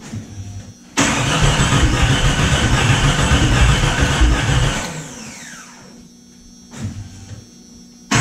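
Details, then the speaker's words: Jeep Cherokee being revived, distributor earlier found off a tooth, cranked with starting fluid: steady chug about three times a second for nearly four seconds, then stops without firing; distributor cap and a spark plug wire were left unplugged. "we didn't plug the distributor cap on either it's not firing anywhere"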